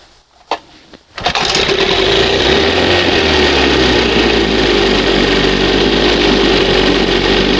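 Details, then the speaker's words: 1971 Johnson 20 HP two-stroke outboard, new pistons and rings, honed cylinders, strong compression, cold pull start: catches on second pull and settles into crisp, even buzz; normal cold start, easier than with old choke carburetor. "Now you see how fast it started. Second pull. Boom. You can't beat that."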